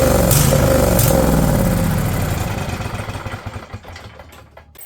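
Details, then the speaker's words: Husqvarna riding mower, Briggs & Stratton Intek V-twin, over 900 hours: fires on choke and chugs evenly, then slows and stalls within seconds; owner suspects plugged jets or faulty float, no internal engine noise heard; cause not confirmed. "I think that just all the Jets are either completely plugged up or the float's not working cuz I choke it and it fires for another Split Second so we're going to have to pull that carb off"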